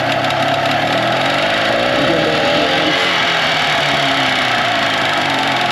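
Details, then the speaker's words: 2004 Tohatsu 9.8 two-stroke long-shaft outboard after maintenance: crisp buzzy note climbing smoothly with throttle and settling without sputter; water pump flows faster at higher rpm, no fuel leaks; normal revving. "Obviously when you give it more RPMs, it pumps a lot faster. No leaks, no gas leaks, or anything."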